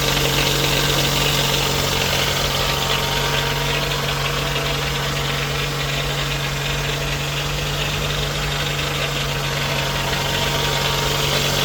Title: Toyota 2AZ-FE engine rattle sound